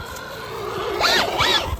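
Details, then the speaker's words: Traxxas Hoss 4X4 VXL RC truck (Velineon 540XL motor) running rear-wheel drive: motor whine swoops with throttle over a gritty driveline rasp; owner suspects the center differential diffing out to the front wheels; unconfirmed. "It's probably the center differential diffing out to the front wheels. I don't know if you can hear this, but it sounds weird."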